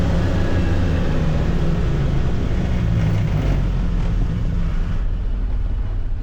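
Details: 2022 Can-Am Defender HD9 DPS cab with factory heater, after foam weather stripping fixed the loose heater core; steady engine, drivetrain and road drone cruising at 30-45 mph, no rattle, faint tingy sound.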